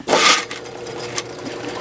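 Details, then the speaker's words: Drain machine cable run at least 25–30 feet into a house sewer line after saw blades cut through the clog: a short rattle, then a steady even motor hum with no bogging; the cable feeds freely, no longer binding or backing up. "I mean she's just she's happily running on Down the Line there it's not binding up anymore it's just feeding it out and nothing is backing up anymore"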